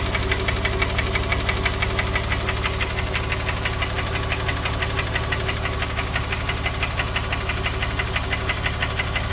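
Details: Porsche 997 3.8 engine, 2006, at idle: a sharp, very regular knock about twice a second rides over the steady idle. The owner suspects piston slap (Kolbenkipper) or a hydraulic lifter; the cause is not confirmed.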